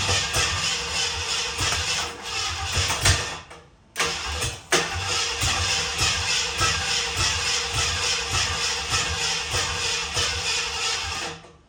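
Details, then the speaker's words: 1967 Ford Bronco, last ran 16 years ago, carbureted; uneven cranking that catches and stumbles with ragged irregular firing; owner suspects ignition timing out, rechecks firing order 1-3-7-2-6-5-4-8 and distributor rotation. "that didn't sound good dude let's check the fire and order on okay the fire and order is 1 372 6548"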